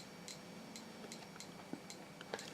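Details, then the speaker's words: Repaired Geiger counter on its most sensitive setting with about 120 V DC supply, measuring background: sharp irregular ticks a few per second at random spacing over a faint hum, normal operation. "the dial is lit up because there's a little neon light there and it's uh it's measuring background at the moment"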